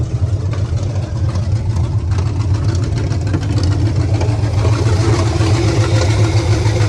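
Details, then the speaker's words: 1976 GMC Sierra 2500 4WD small-block 350 (new headers, coil, wires and plugs): deep V8 rumble climbing as it is revved, with an uneven lumpy pulse underneath. It runs rough, cause not clear. "Definitely don't sound the best."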